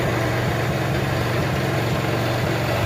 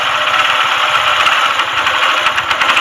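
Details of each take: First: Honda motorcycle after full engine rebuild, kick-started with choke: even steady single-cylinder putter at idle, no knocks or rattles; smoke from exhaust due to diesel washing; healthy engine. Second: TVS single-cylinder bike before full engine rebuild, idling with rapid hard metallic clatter from connecting rod knock inside the engine; it also smokes and the battery is weak, so it is kick-started.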